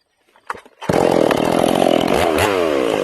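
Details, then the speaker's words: Ported Stihl MS461, not yet broken in with rings unseated, after the high-speed jet was richened a quarter turn and then turned back. It snaps to a crisp, steady scream and pulls slightly into the cut without burbling; clean full-throttle running. "Now I'm going to turn it back and you'll hear it clean up."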